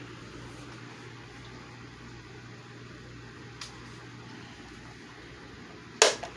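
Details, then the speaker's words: Midea 12-inch oscillating table fan after cleaning and lubricating the motor, started on low speed: a soft even hum and airy whoosh with no rattles or scraping; running smooth after service. "I'm gonna fire it up now and start it up from the low speed and we will see if the Fan's running any better here we go"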